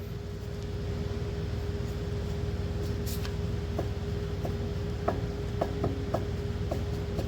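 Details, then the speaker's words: 2009 BMW E90 M3 (LCI) front control arm (034 wishbone) tugged by hand with engine humming: sharp irregular knocks from the loose arm, bolt torqued and snug, ball joint tight; same failure on both sides, worn control arm bushing. "there is a knocking sound coming from this and it's the same exact deal on the other side as well"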